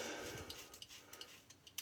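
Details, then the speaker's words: Colorlamb folding razor head lifted off the skin: light, uneven metallic ticks about every third of a second from play in the fulcrum/pivot points. Harmless; the razor is solid under pressure and the shave is unaffected. "Anyway, I'm sure you can hear that rattle as I lift off. That's just the play in the the movements of this here. Does not affect the shave at all."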